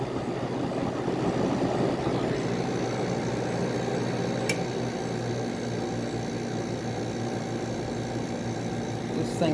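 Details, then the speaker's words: 1985 WCI air conditioner, first test after long storage, two-speed fan on high, already cooling: steady low hum with smooth fan rush, no knocking or rattle; compressor running quietly and normally. "runs so nice it's so smooth this is one of actually this might be one of my best running air conditioners I own"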